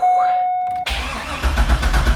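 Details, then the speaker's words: Chevrolet C5 Corvette LS V8 with old fuel, first start after sitting: warning chime, quick crank, then the engine catches cleanly and settles into an even idle; healthy start. "Come on. Aha! Aha! She's alive! Oh, she's alive!"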